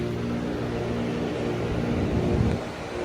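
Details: 2012 Lasko 400 series side-discharge heat pump, about 86°F outside, briefly switched to heat mode: low, steady compressor hum with soft vibration and no knocking or slugging, much quieter than in cold mode; normal compressor running.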